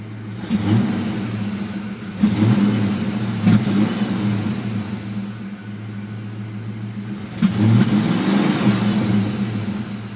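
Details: Petrol engine idling unevenly, revs swelling and dropping every few seconds, an initial idle surge along with slow cranking hot or cold; tests showed the fuel pump barely working, and replacing it cured it.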